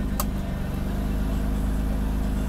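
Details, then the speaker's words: Mercedes-Benz W126 300SEL after overhaul, cold engine at idle with the air conditioning switched back on. Low, steady idle that barely changes under the AC load, with no dip or hunting, so the idle motor is working normally. Normal idle with AC load. "also hasn't changed much So this means his idle motor is working normally"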